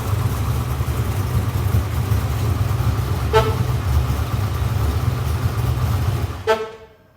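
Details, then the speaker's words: Car with engine running: low rumble with two short sharp chirps about three seconds apart, the keyless entry system beeping as it senses the key nearby to auto lock and unlock. "keyless remote that beeping you can hear is the most annoying part about it it senses when the key is near the car and it automatically locks and unlocks the car"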